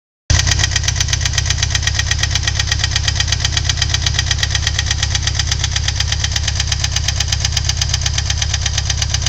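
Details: Ford Thunderbird Turbo Coupe 2.3L at steady idle: sharp, evenly spaced metallic knock about twice a second keeping pace with the engine; owner suspects valves, cause undetermined.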